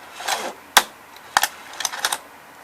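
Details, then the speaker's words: Sony EV-C200 Hi8 VCR, which sometimes fails to take a cassette, loading a tape: short bursts of light mechanical clatter with one sharp gear click; owner says mechanism not desynced or broken, normal loading. "And you did hear that little click in the gear, but don't worry, it's not desynced or anything or broken."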